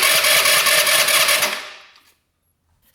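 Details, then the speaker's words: 2017 Tao Tao scooter bought as non-running, electric start: fast high whirring crank for about 1.5 seconds with no catch; won't start, later traced to a tight exhaust valve with zero clearance. "Does electric start work? Maybe that's what that is. Let's see. Hold in. Oh, yeah. [Music] Listen to that. doesn't want to go."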